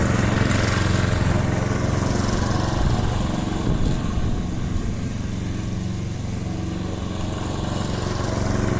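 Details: Briggs & Stratton Quantum engine on a Clipper lawn mower after spark plug work (previously wouldn't keep running after winter): steady deep drone while cutting, no misses or surging; normal running under load.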